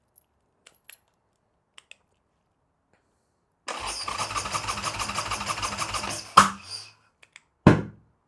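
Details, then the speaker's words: Harley Sportster build: starter spins the V-twin in uneven chugging for about three seconds but never fires even with starting fluid; spark appears only when cranking stops, suspected ignition fault. "okay guys so we know the bike cranks but it's not starting I already threw some starting fluid and not luck which means we're not getting spark"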